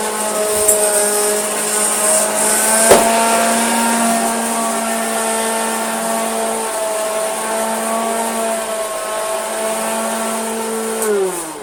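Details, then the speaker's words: Hoover Junior Dirtsearcher 1354A vacuum as received: steady motor hum with harsh rough edge, then winding down at switch-off; motor, not brush roll, vibrating and not turning straight, possibly due to crud underneath. "Let's just check if that's the brush roll or the motor making that awful sound. It's the motor. It's really vibrating."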